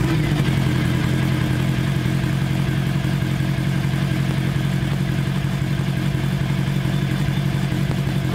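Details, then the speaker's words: 1982 Kawasaki 750 LTD four-cylinder after replacing the transmission cover seals. An oil-circulation air pocket was cleared by tipping the bike onto its right side. Steady, even fast idle with no knocks or rattles, and no leaks; runs normally. "the seals are in place nothing is leaking everything is working fine so let's start it up so you can at least hear what it sounds like"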